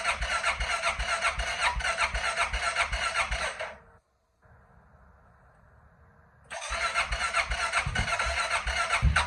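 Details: 2005 King Quad 700 ATV: two long cranking bursts with a steady beat of about 150 a minute and a pause between, and the engine never catches; hard starting, extended cranking.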